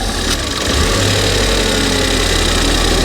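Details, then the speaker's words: Ford Fiesta ST180 on a ramp after a non-runner revival: loud, steady idle with light ticking from a leaking manifold, otherwise even and healthy; idle normal once the snapped intake pipe fitting is blocked by finger. "it sounds like this engine's good it sounds really well actually"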